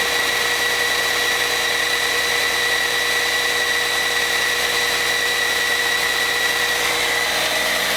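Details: Caterpillar C13 on its first run after overhaul: steady, even idle with a constant whine on top and no knocks or misses; normal, healthy idle.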